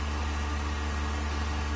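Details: Vacuum pump on a 1600-litre mixer during a vacuum test with an empty chamber, vacuum about 0.09; steady even low hum with soft airy hiss, no knocking or rattle, pump working stably with very low noise, meeting the vacuum requirement.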